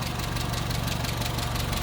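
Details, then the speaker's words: 1959 Hillman Husky sedan delivery, 1,390 cc inline four, 12-volt system, heard at the open engine bay: steady low purring hum, light even tick-over, no missing beats or knock; normal idle. "Looking good. Here it is. Purring right along again."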